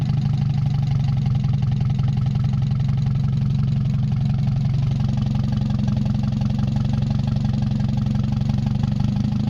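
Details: Mazda 626 first start after cylinder head reassembly, rest of exhaust not connected, oil overfilled: low heavy idle wavers and shifts midway, uneven and lumpy with knock and vibration. Owner suspects O2 sensor misreading the open exhaust, possibly old gas. Rough fluctuating idle.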